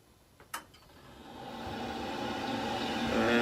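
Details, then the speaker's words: Worcester heat-only condensing boiler, new fan fitted: click, then smooth whir climbing in pitch and volume as the fan is turned back up, no grinding; normal fan running. "So put a new fan in, that's all running well. As you just saw, I turned it down because it got too noisy, but we'll turn it on and turn it back up."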